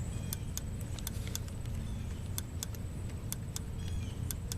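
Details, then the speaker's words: 1988 Volvo 760 B230FT with poor, wavering idle, during TPS adjustment: low steady idle with sharp light ticks as throttle just cracks open; TPS rotated counterclockwise until its switch clicks at off-idle, as it should. "you're going to rotate this body of this thing uh counterclockwise until when you open the throttle up you just barely open the throttle up you just hear it"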